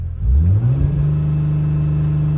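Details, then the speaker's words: 2008 Dodge Sprinter diesel van after DPF delete, P0428/P242F codes, jerky slow acceleration, clogged fuel filter suspected: full throttle, revs climb briefly then hang flat at 3000 rpm, barely accelerating; limp mode, cause unconfirmed. "so it's only stuck at 3000 rpms let's do an acceleration test this is me going at a very fast speed pressing the gas pedal all the way down so barely accelerating"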